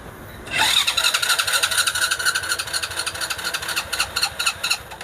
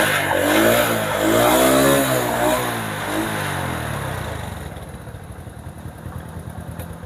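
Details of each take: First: Honda Supra Fit motorcycle with DC CDI ignition, year unknown; electric starter cranks it steadily at about two pulses a second until the battery weakens, but it won't start, yet it starts at once on the kickstarter. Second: Honda Supra that would not start on the electric starter but ran on the kick starter, with a non-original third-party part fitted; after charging the weak battery it starts, revs up and down, then settles into a steady idle. The pulser was blamed.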